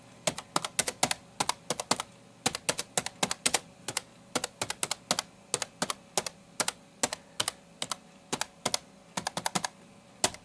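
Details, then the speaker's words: NEC Versa 6030x laptop (Pentium 133, 16 MB RAM) keyboard during basic typing: crisp, even key clicks in quick irregular bursts, no rattle or dead keys; sounds pretty good for a laptop keyboard, normal. "so there you go that's some basic typing you can hear what the keyboard sounds like sounds pretty darn good for a laptop keyboard"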